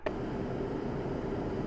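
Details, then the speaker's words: RV rooftop bedroom air conditioner running after sound-deadening material was added. Steady rushing air hiss with a faint drone, maybe about a 2 dB drop, less rattling and a slightly lower tone. Loud fan airflow noise remains. "most of it is definitely sound definitely the air noise but I do believe there's less rattling and a little bit lower tone maybe that in itself is nice"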